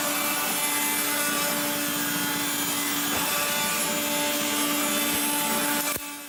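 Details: 1970s blue Regina Electrikbroom 3-speed vacuum, just arrived, vacuuming a floor. The motor and especially the fan are dry after someone washed it. A steady vacuum whine carries a raspy, dry grinding at constant speed from dry motor bearings.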